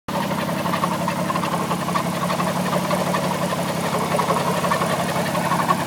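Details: Alfa Romeo 156 with a rough, unsteady idle and an irregular clatter in the low drone; something off inside the engine, cause unclear.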